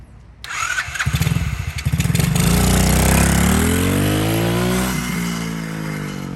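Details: 110cc dirt bike after restoration with engine cleaned out, new sprocket and chain: short crank, the single catches at once, revs up smoothly and eases back down cleanly on a test run; normal start and revving.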